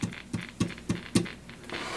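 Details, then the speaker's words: 1960 Airline Model 8503 tube guitar amplifier, serviced before but long unused: scratchy crackling bursts pulsing three to four times a second over a quiet hiss, static through the tremolo speed and strength controls, to be checked. "getting some static and then touch this stuff so I'm gonna have to check that out"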